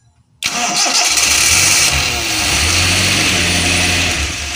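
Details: Espass car experimentally running on LPG gas: short crank, then it catches at once and settles into a steady, even idle; starts easily, though high-RPM running is not yet achieved and settings are still being tuned.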